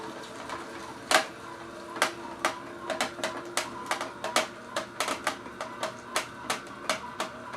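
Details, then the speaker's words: Omega VSJ843 vertical slow juicer juicing carrots, three chunks fed in: irregular sharp cracks and snaps over a faint low motor hum as the auger breaks carrot; normal operation, no binding. "Alright, anyways, let's go ahead and put in 3 chunks of this carrot and let it run a little bit."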